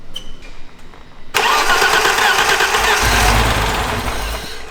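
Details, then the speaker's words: 1989 BMW 325is E30, 31 years old, first start attempt (previous owner couldn't start it): starter whirs, engine catches with ragged roar for a few seconds, then dies; starts then stalls, cause not yet found. "Okay, so it has a little bit of life on there, but it's not staying on. I don't know, guys. That just got me very, very excited. I didn't think it would even turn on at all, but it actually turned on for a little bit and then turned off."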